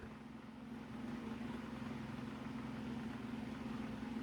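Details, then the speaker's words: Mainstays 12-inch oscillating table fan on medium speed, grille bent; steady low buzz over a soft whoosh, loud vibration from the housing while the motor itself is quiet; fan vibration noise. "it's loud on medium the vibration the fan is actually pretty quiet just the vibration is just oh"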